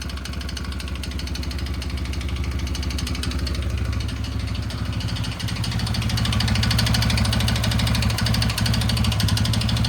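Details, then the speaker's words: Yamaha Grizzly 600 single-cylinder engine idling with choke applied, slowly picking up revs: sharp, regular tapping over the beat from the top end; valve clearance later found in spec, head and base gaskets look new; cause undetermined. "Takes more throttle when the choke's applied, but still not much. Something up there doesn't sound too good."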